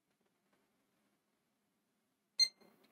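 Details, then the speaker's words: Gigabyte B660M DS3H DDR4 board with Intel i5-12400F, Gigabyte RTX 2060 graphics card fitted after a GT 520 failed to boot: one short high beep after a pause; clean single POST beep, boots normally. "부팅 비프음 이 나네요 나왔죠 요즘에 나온 그래픽카드 꽂았던 이 화면이 나와요"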